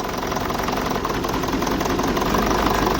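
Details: BMW E65 4.4 diesel V8, 242 kW, EDC16C31 ECU, injector check at idle: unplugging one injector makes the idle roughen and dip with uneven knocking near 160 a minute, showing that cylinder was firing properly.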